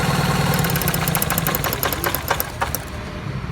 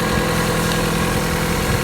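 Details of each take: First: Opel Corsa 1.4 16-valve petrol engine idling with an uneven, stumbling rumble: a misfire traced to a faulty ignition coil, which was then replaced. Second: Opel Corsa 1.4 16V petrol engine after the misfire repair: steady, even idle hum with no stumbles or misses.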